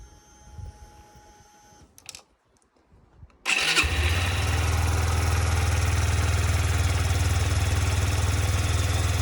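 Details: 2007 Yamaha YBR125 after fitting an upgraded KEMSO fuel pump (it had kept overheating in the sun), fuel primed: brief cranking, then the single catches and settles into a steady, even idle with a regular low beat; runs cleanly.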